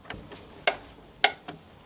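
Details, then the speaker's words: Torque screwdriver in a quiet room: two crisp, sharp clicks about half a second apart as the clutch releases at set torque; working as it should. "if you've never used a torque screwdriver before what happens is you'll hear it clunk basically like so tighten enough"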